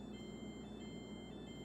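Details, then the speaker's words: KitchenAid dishwasher with clean light on: a thin, high electronic tone repeats over a low room hum, the beeping error alarm signalling something is wrong, possibly water in the base. "So if you have been hearing that sound coming out from your kitchen aid dishwasher, um it just means that something is wrong."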